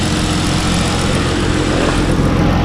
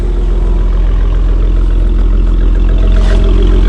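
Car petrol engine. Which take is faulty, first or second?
second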